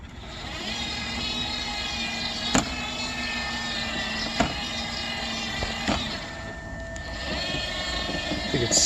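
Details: Dolphin S300i robotic pool cleaner, which would start then immediately stop: steady motor hum with a sharp snap every second or two; drive track suspected worn and skipping a tooth on its cog.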